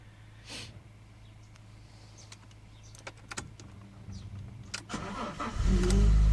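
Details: GT 3.2 V6 on a sub-zero cold start: quiet at first, then it fires into a loud, low buzzing drone, with poor throttle response at the same time; cause unclear.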